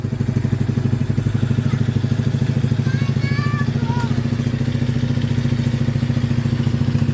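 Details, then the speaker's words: ATV/50cc machine just fitted with an oiled K&N air filter and header wrap (exhaust earlier noticed loose), started in neutral. Steady low thumping idle, about 100 beats a minute, quiet and even with no ticks or rattles: normal idle, about where it should be. "i mean it's probably about the same it's probably about where it should be so right on"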